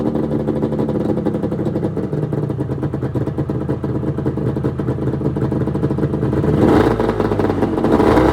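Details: 1996 Arctic Cat ZRT 600 two-stroke snowmobile, cold start the day after a fuel pump rebuild (Vertex kit), fuel shut off overnight, sled tilted on a tripod: crisp crackle settling into a steady run, clean rising rips on throttle; normal cold start and running.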